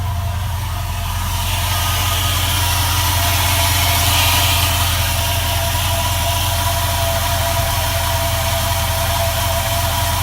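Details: 2004 4.7 HO engine at cold idle: a light, quick tapping from the bottom and rear of the engine, two or three taps a second. It goes away at operating temperature; source unknown.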